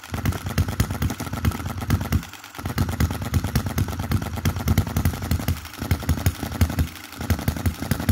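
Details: 2022 Enjomor Chinese hit-and-miss engine after valve timing correction and an adjustable spring and screw added to the governor latch: low popping firing strokes with short coasting gaps, latching cleanly without surging; healthy running.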